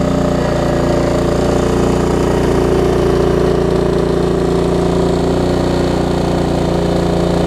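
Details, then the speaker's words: Craftsman LT1750 riding mower revived after mouse nest, run with air filter off and a fuel line leak: single-cylinder chugs at steady, rough low speed and never picks up revs; won't rev, owner suspects missing air filter. "didn't want to throttle up also don't have the air filter on us that probably has something to do with"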